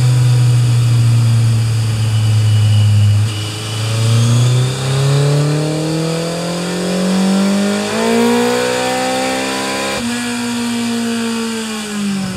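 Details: Kawasaki Z1000 MK2 after FCR37 carburetor overhaul and setting, with a Uotani SP-2 (Ver.FM) ignition fitted: revs climb smoothly and quickly in rising pitch without the bike pulling. Severe clutch slip.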